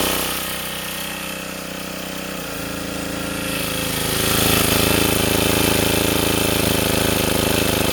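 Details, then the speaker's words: Sportsman 2000 W generator after tuning and adding a spring to damp the governor, under a 750–1500 W space heater load: the engine rises slightly, then holds a steady, even beat with no hunting or cycling. "I can put this heater up to I don't know what's low 750 WTS 1500 WTS and I don't get that cycling anymore"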